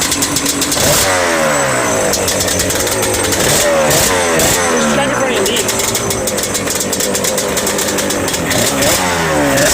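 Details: Yamaha Banshee 350 twin two-stroke, sat about 5 years, after TORS delete, carb clean/rebuild and new throttle cable: crackling ring-ding rising and falling with throttle blips, picking up cleanly and holding an even run; normal.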